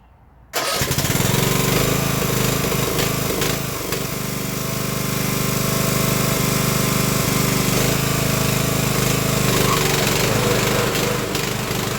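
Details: Craftsman LT1000 riding mower after Briggs & Stratton engine swap, cold start after sitting over a week, brake on, testing blade engagement: starts first try and settles into a steady, even run with no misses or knocks; healthy.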